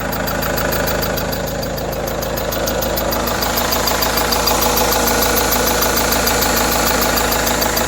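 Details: Renault F9Q diesel idling with clatter and a thin high squeal, not from the belt or tensioner. Most parts are new, but the water pump and timing belt tensioner roller were not replaced; source unknown.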